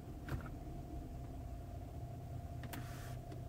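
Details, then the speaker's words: 2015 Infiniti Q70 3.7, 97,000 miles, idling in drive with load: quiet cabin with low steady dieseling-like drone, heard mainly from driver's seat, seemingly passenger side; gone in neutral and at higher rpm; source unknown. "very low pitched it's deceiving inside of a car but it appears to be coming from the passenger side I'll put it back in neutral goes away I put it in drive and give it some gas you can hear it a little bit"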